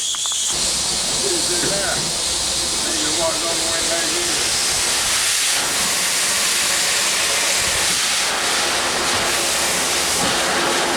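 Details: 1895 Bates Corliss steam engine (14-inch bore, 36-inch stroke, 10 ft 9,000 lb flywheel) at its first run in 80+ years, on about 50 psi steam without dashpots: loud steady steam hiss with a faint, loosely regular chuff about four times a second. Normal running.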